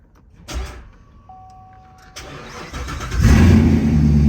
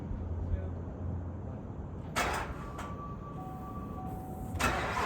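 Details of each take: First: Corvette Grand Sport after rebuild (suspension, cooling system, fresh fluids), fourth start attempt after excess oil was drained: short crank, then it catches at once into a strong, even, deep idle with no misses; normal start. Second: Rebuilt Corvette on first start after filling oil, transmission fluid and coolant; fires after a few seconds, loud idle with faint regular beat, odd noise prompts shutdown; later smoke and overfull oil, leak suspected; abnormal start-up noise.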